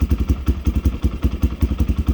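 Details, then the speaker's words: 1987 Honda XL250R RFVC single, barn find that sat for years, on fresh gas, fired first kick from cold: quick, even thumps about nine a second with no knocking or misses; normal idle. "wow this thing's been sitting that long and i put fresh gas in it and started right up i can't believe it"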